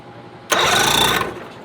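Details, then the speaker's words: 2005 Mercury 50 HP outboard, just mounted as replacement for a burned 1988 Mercury, first start attempt: short, quick, even starter spin without grinding; starter works properly, normal cranking. "starter works sweet beer and celebration fire it up"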